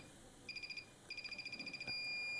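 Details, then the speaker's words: Multimeter in diode/continuity mode, one probe on ground, other on a phone PCB network-section component: high thin beep stutters then holds steady, showing the end is connected to ground. "चलिए दूसरी तरफ भी देखते हैं। इस तरफ से भी बीप की आवाज आ रही है।"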